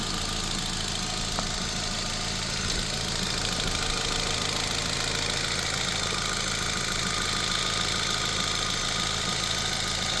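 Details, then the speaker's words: 2006 Nissan Sentra 1.8L automatic, A/C off: loud steady idle with faint uneven tapping from the engine; owner suspects lifters, cause not confirmed; no leaks seen, belts and water pump look good. "It's just the motor. I hear it tapping. You hear that tapping? Something's tapping in there."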